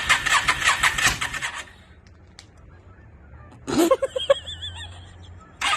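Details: 2002 Yamaha V-Star 650, newly bought, possibly needing a full tune-up, on choke, rusty gas tank; repeated rough cranking bursts that catch briefly then die, silent gaps between tries. Hard starting, owner suspects flooding.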